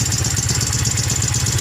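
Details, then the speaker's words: Yamaha Mio M3 scooter after 58 mm piston, reground camshaft and CVT modifications, running without air filter and hard to start: rough idle with fast uneven chattering tick; harsh top-end noise traced to rocker, valves and camshaft. "teman-teman kasusnya ini ya teman-teman ya suaranya kasar ya suara kasar sama susah hidup teman-teman"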